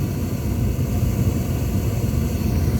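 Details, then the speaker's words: Furnace after removing and cleaning the flame sensor (it previously shut off after 5–15 seconds): steady low roar of burner and blower holding on past the usual cutout time; normal furnace operation. "it usually shut off in about five or ten seconds it's still going so that's a good sound"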